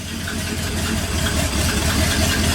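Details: 1959 Ford F100 special delivery panel truck V8, fired up: even, steady idle with a smooth low beat, no missing or stumbling; normal idle, now running cleanly.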